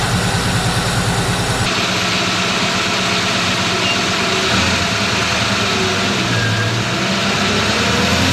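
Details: 1964 Ford Fairlane V8 with old Busch Series race carburetor: steady burble held well above normal idle, won't idle down; throttle return spring too weak to return the throttle.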